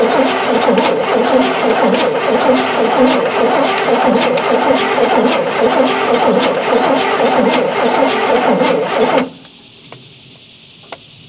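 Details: 1973 Chevy C10 squarebody, not run for 27 years, battery cables just tightened, hand-fed fuel, spark seen earlier, compression audible: about nine seconds of steady rhythmic cranking that never catches, then stops. Cranks but won't fire; cause not confirmed.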